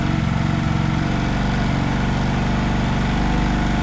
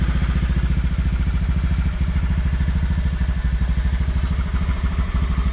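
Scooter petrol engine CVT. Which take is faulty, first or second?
first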